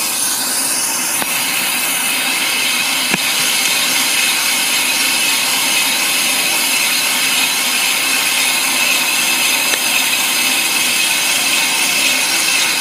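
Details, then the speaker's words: Brake drum being machined on an Ammco brake lathe to remove a glazed finish, nearing the end of the first cut: steady high-pitched hiss of the cutting bit on the spinning drum, smooth and even with no chatter. A clean cut. "sounds like we're getting near the end of our cut our first cut"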